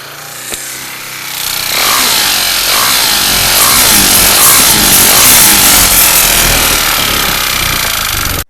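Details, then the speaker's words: KTM Duke 390 running with white smoke: harsh metallic clatter pulsing about three beats a second; teardown found damaged crankshaft, piston, cylinder, camshaft, rocker, timing chain, bearings and oil pump. "నుంచి చూసుకుంటే గనక దీనిలో కూడా దండిగా smoke engine లో sound అయితే ఇప్పటి విధంగా వస్తుంది."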